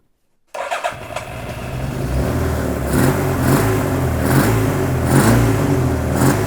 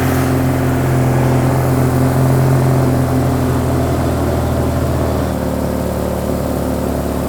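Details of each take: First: Donated Suzuki Katana being recommissioned, after swapping two swapped plug leads: engine catches and settles into a smooth, even four-cylinder beat with light blips, now running on all four. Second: Suzuki Katana being recommissioned: steady low engine beat with slightly uneven pulse shifting near the end; two cylinders suspected down, possibly failing coil pack or crossed leads; also not fuelling right.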